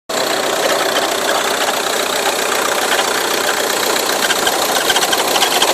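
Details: Ford Tourneo Custom diesel at idle with a belt noise suspected: a harsh, raspy clatter high over the engine and a loose, uneven beat from the front end; cause not confirmed.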